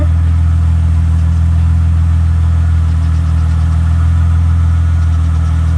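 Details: Chrysler Crossfire idling after a fuel filter change, once injection pressure has rebuilt, no leaks: steady, even low engine hum with no misses, knocks or surging, idle holding constant; healthy idle.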